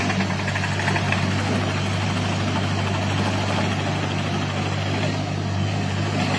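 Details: Derette XC1100 tracked loader on concrete before the fix: steady engine drone with heavy low hum and buzzy rattle as track resonance shakes the machine, known to damage the engine hood lock.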